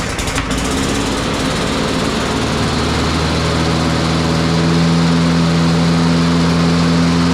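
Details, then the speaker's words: Troy-Bilt TB200 push mower, Briggs & Stratton 550e 140cc, that ran rough and was hard to start, after full service with oil, blade, spark plug and air filter: starts on third pull, settles into an even steady beat with no misses. "well at least she cranks on the third pull second second third that's better than what it was"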